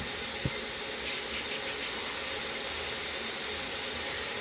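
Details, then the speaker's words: Mopar engine with headers, engine off, exhaust pressurised by a vacuum hose blowing into the tailpipe: a steady airy hiss of air escaping at the header-to-head manifold joint on one side. "obviously at the business end you can hear hopefully over the vacuum in the background you might be able to hear some hissing"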